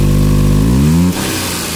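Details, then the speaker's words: Maruti Suzuki Alto 800, 117,000 km, pickup lost when running; revs climb for under a second then drop sharply and flatten, the engine not taking throttle and bogging, hesitation with cause not confirmed. "अब हम गाड़ी start करते हैं तो वड़े काफी ज्यादा latest होती है यहां पर देखिए जो एक्सीलेटर है बिल्कुल भी नहीं लेगी गाड़ी"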